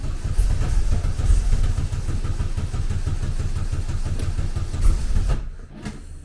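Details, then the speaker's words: Classic VW Beetle with EFI conversion, first start after fixing backwards-installed fuel pressure regulator, tuning file still set for the old fault; deep, lumpy, stumbling beat with no steady idle; rough running, tune way off. "different. I mean, the tuning is going to be miles out because I was tuning it because I was tuning it in such a way that everything was arways."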